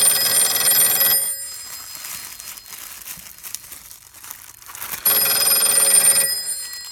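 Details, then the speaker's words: Western Electric 302 telephone on a makeshift taped direct-wire connection as the wrapping is undone: bright bell ringing cuts out for a few seconds then resumes; intermittent ringing from the loose wire connection while the line keeps ringing. "So you can hear the connection went out for a split second there. And it stopped again there."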